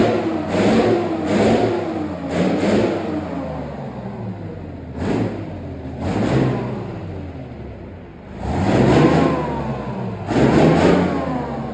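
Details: Replacement engine for Farmer Phil's Chieftain tank, test-run before fitting: the engine blips up and falls back several times, each rev rising cleanly and settling without knocks or misses; runs healthy.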